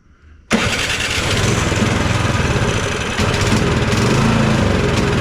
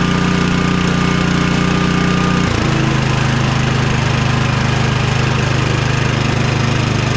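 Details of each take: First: Cub Cadet 2X 24 IP snowblower (model 31AM6HVRB10) with an MTD Powermore 243cc IntelliPower engine (875-WU), choked and primed; it catches instantly, runs ragged and uneven, and stays running only while primed. Not getting enough fuel, or an IntelliPower fault. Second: Cub Cadet 2X 24 IP snowblower (model 31AM6HVRB10) with an MTD Powermore 243cc IntelliPower engine (875-WU), after the carburetor was drained and cleaned. The single-cylinder holds a steady buzzing speed, dipping briefly twice and recovering without hunting or surging. It now runs properly.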